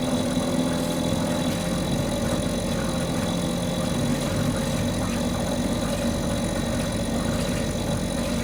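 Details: Mercury 2.5 hp two-stroke outboard that sits for long periods and wouldn't stay running, now running after carburetor troubleshooting: steady, even buzz with no surging, sputter or dropouts, holding at various RPMs; normal running.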